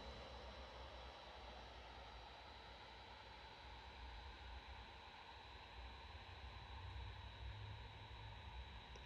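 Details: Framework 16 laptop with AMD Radeon 7700S GPU, unplugged on battery in performance mode, running the WebGL Aquarium benchmark full screen, recorded by a Pixel 8 Pro: soft, even airy fan whoosh with a faint steady whistle, no rattle; normal cooling fan under load.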